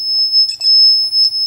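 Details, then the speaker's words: Shadow detector with a green laser beside it: the sensor doesn't see the green light, so a shrill, slightly pulsing high beep runs continuously and doesn't change when an arm waves through the beam; its blue light is also not working properly. "there's the green lights and it's not working at all it just keeps going off nothing nothing happens when i wave my arm in front of it"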